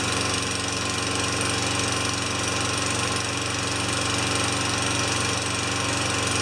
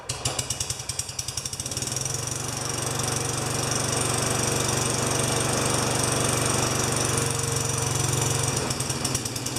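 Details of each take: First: Tecumseh 4HP Yard Machine mower that stalled after a few seconds, muffler back on and fresh gas; steady even single-cylinder beat at constant speed, no surging or dying, runs great. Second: Tecumseh 4HP Yard Machine mower, dirty air filter removed: a few sputtering pops, then a rough, lumpy run for several seconds that breaks up as if about to stall, as the owner reported; carb clean planned. Cause suspected, not confirmed.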